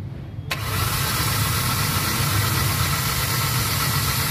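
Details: Hyundai Accent petrol: engine catches and settles into an uneven, lumpy idle with blinking check-engine light and strong vibration; misfire P0300/P0301/P0302, cylinder 1 ignition coil has weak or no spark even after new plug and coil.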